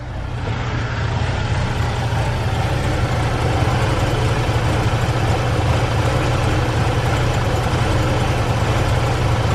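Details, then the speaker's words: BMW E46 at idle, heard from rear and front: low, uneven, lumpy beat with stumbles, a bad misfire; sometimes stalls at lights and is hard to start; owner suspects coil pack or spark plugs, unconfirmed. "but yeah that misfire is really bad i'm sure it's just coil pack or um spark plugs or something but i just haven't got around to fixing it"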